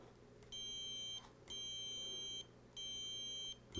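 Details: 1970s Electra strat-style guitar, bridge ground after polishing corrosion with steel wool: continuity tester gives three clean, steady beeps of about three-quarters of a second each, no dropouts; ground connection solid.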